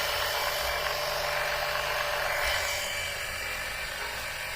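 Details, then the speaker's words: Electric oil extractor pump sucking engine oil through a tube slid into the oil pan: a steady high buzzing whirr with a faint even pulse about four times a second; suction is strong enough to flatten the tube, and it is working normally. "Boy, this is going fast. There's so much suction, it's sucking this tube in flat."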